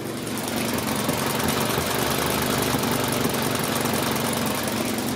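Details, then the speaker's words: 2003 Toyota Corolla idling with an uneven, stumbling sputter and shaking from a misfire (P0301). It loses power intermittently and no code was shown on the first scan. "So not really that bad, but you can hear it sputter."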